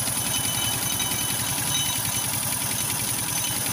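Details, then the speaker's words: Motorstar Well 125 with a Dash-type engine, recorded near the cylinder head at idle: a tinny, uneven metallic clatter from the top end. The timing chain was checked and the head opened. "start natin banda dito sa may taas e Sa may cylinder mapansin niyo para may latang tumutunog Ayan"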